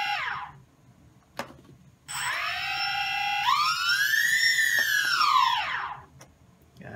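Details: DJI Phantom 2 quadcopter after replacing a burnt-out ESC (motor stopped spinning after a crash). Motors whine up smoothly, hold a clean steady tone and wind down evenly with no rattle or stutter; the replacement ESC drives the motor properly.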